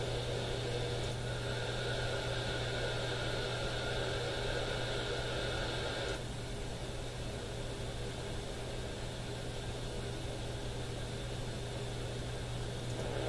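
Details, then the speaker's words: AM broadcast band receiver scanned in the office: constant hiss with steady whining tones and a fast pulsing buzz, and no regular stations, even in quiet spots. Radio interference; owner suspects the smart power meter, source unconfirmed. "None of these are regular radio stations. All noise all throughout the AM radio band."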